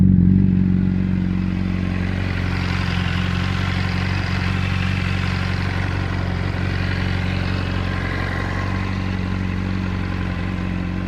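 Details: 600RR at idle, cam chain tensioner replaced with APE manual unit and cam chain replaced: fast, even light clatter over the engine note, unchanged through the run; source still unknown.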